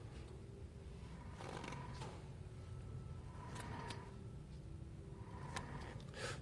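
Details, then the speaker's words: Hyundai Avante HD (Elantra) front hub with disc rotor removed turned by hand gives a soft, even whir with light clicks, likely from the CV joint, and no play or grinding; the wheel bearing is fine and the driving hum is suspected tyre noise. "으 로 돌아가는 갈리는 소리는 아닌것 같은데 아마도 또 등속조인트 소리 같죠 아무런 흔들림 없습니다"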